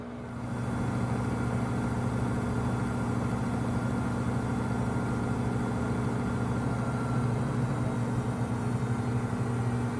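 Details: Samsung WW25B6900AW/A2 front-load washer, 5 months old, draining with no water left to pump: steady loud low buzz at one pitch, about 70 dB; quieter hum when water is draining. Present since first month.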